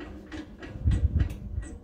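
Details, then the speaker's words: Trailer hub jacked up, near freezing, bearing preload checked: hub spins quietly with no grinding or rumble, just a light loose clatter from the brake magnet rocking; spins free, normal. "know i can't hear anything i can hear the uh the brake magnet bouncing back and forth that's good that you can hear that's free i said it it spins free"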